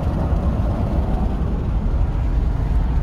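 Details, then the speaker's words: Toyota Hilux 3.0 at road speed: deep steady rumbling wind buffet booming in through the partly open or badly closed rear window, with no engine knock; the fix is simply closing the window. "e a janela traseira entre aberta o mal fechada ela faz barulho"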